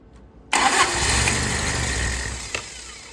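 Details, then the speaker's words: Toyota 22RE no-start after bleeding air from fuel system by cracking fuel lines: cranks, catches with sudden roar, revs sink within two seconds and it dies; starts then stalls, cause not confirmed. "Well, it did for a second. You want to do, boy? Well, hang on. Let me give it a little more."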